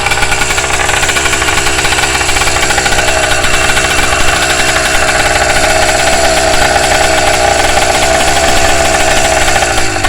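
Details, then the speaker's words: Engine at second start-up, breaking in slowly, with loud, harsh rapid ticking and chuffing: an exhaust leak visible at the front. "oh yeah I got exhaust leak right here I see that already not bad for first start up"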